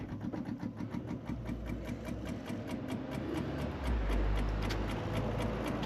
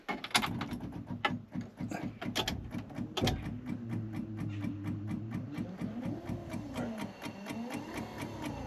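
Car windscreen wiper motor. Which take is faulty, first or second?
first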